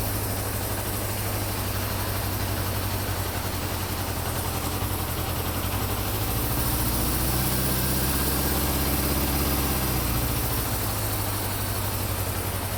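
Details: 1974 Honda CB550 after static timing and carburetor synchronization, warmed up: an even, smooth four-cylinder idle with a steady beat and a slight rise in revs. The carbs are balanced and the idle is now adjustable.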